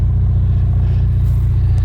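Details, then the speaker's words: 2016 Ford EcoBoost four-cylinder at about 110,000+ miles with new spark plugs and coil packs, said by a shop to have a bad engine: deep, steady, even idle with no knocks, ticks or misses, and a neat exhaust note. "It's got a pretty neat exhaust note for a four-cylinder."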